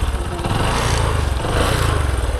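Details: Kick-start motorbike that a learner rider could not keep running (it stalled when put in gear), started with one kick: even, quick thumping idle with a steady beat and no knocks or stumbles; normal idle.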